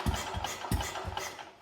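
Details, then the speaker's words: Wheel Horse RS-83 Ride Away Senior, Kohler engine, first start attempts after fitting a new WICO HX magneto coil, points and condenser; top dead center timing uncertain. A few scattered low pops that never settle into a run; fires but doesn't start. "did you hear that it was so close huh all right let's try again"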